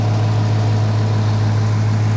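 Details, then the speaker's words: 2016 Dodge Challenger 5.7 L Hemi V8 with Shaker hood at idle; deep, steady burble with an even low rumble and no knocks or misses; normal healthy idle. "She does sound good, too. And it's a true shaker hood."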